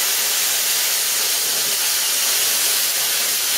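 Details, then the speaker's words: Plasma cutter running on a small air compressor at 50 psi, cutting 1 mm sheet: a thin, high hiss with less air rushing through than usual, yet it cuts without trouble; low air flow. "you can even hear on it that it hasn't got so much air going through it guys normally on my case you can hear the air blasting through it but this is cutting no problem at all"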